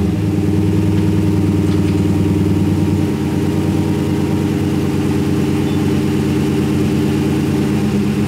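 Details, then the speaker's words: 1977 Camaro Z28 just after a cold start, first run in a year: steady, even idle with a low burble settling slightly after a few seconds; oil pressure good, runs smooth and healthy. "well here goes nothing for everybody that likes cold starts we haven't started this thing in a year"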